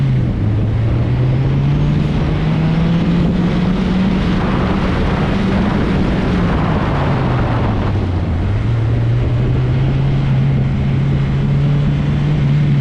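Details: Turbocharged Honda CRX with B-series head, on a hot autocross lap: engine drone climbs and falls with throttle under hard load, turbo building boost cleanly with no flutter, knock or rattle; healthy.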